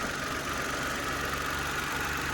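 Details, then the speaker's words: Mitsubishi Mirage after fitting rubber bushings to the air filter housing: the small petrol engine idles evenly with a steady hum and no rattle from the intake, even with the AC compressor running; the housing previously vibrated loudly. "นี้ก็ไม่มีเสียงแล้วนะครับ"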